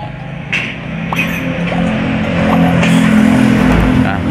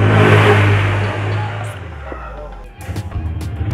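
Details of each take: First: Honda Beat FI scooter with total electrical failure, no electric or kick start, checked at relays and fuses: kick thumps, then the engine catches to a steady, slightly uneven idle; it starts but only with difficulty. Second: Honda Beat FI scooter with total electrical failure that wouldn't start by button or kick; jumpered from another battery, it idles with a steady low hum before fading, running normally.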